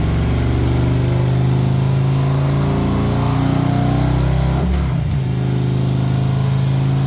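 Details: Harley M8 107ci V-twin just reassembled after S&S oil pump install for sumping issue, first crank with new lifter cuffs: strong low rumble builds under throttle, then drops back to even idle without misfire or clatter; runs healthy.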